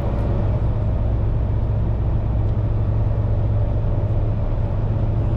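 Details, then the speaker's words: Peugeot 605 cabin at 110 km/h motorway cruise: steady low road and engine rumble, even, no knocks or whines; noise acceptable, though owner says engine gets loud and vibrates from 120 upward. "Pour vous donner une idée du niveau sonore, je vous ai préparé quelques séquences. À 110, c'est tout à fait supportable."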